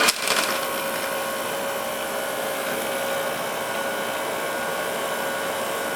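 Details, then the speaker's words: 1946 Victor model 40B projector being restored, mechanism freed up by oiling, amplifier off: short start-up clatter, then the motor settles into an even, steady mid-pitch hum; the motor sounds okay. "the motor sounds okay."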